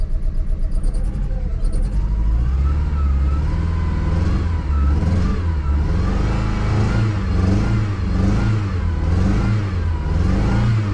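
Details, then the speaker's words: 1995 Plymouth Neon, low mileage, long-stored with old gas, just restarted after Berryman's: repeated throttle blips, rough and shaky at first, each rev cleaner; misfire clears when given gas. "But yeah, when you give her some gas, she clears up."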